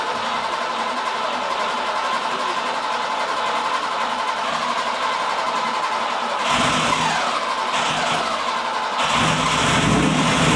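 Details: FIA-compliant Porsche 910 race engine, freshly built with MFI-type setup, start on dyno jig before run-in: catches and settles into a fairly even, busy idle with a quick blip near the end; healthy.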